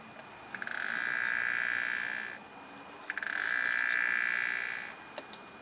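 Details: BMW 335i N54 electric water pump, activated by holding the gas pedal for 10 seconds, gives two long, shrill two-second screeches with a short gap; the pump is not pumping coolant to the reservoir and has failed.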